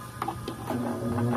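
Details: Orbit ceiling fan, plugged in: a couple of clicks, then a loud low hum builds as the motor powers up, spinning then stopping; humming from worn bushings.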